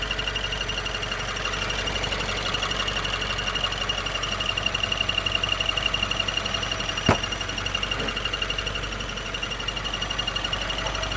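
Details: 2016 Subaru WRX manual, warm engine: fast, light ticking at idle over a steady high whine; stops when clutch pedal is pushed in, gets louder and faster with acceleration; cause not confirmed.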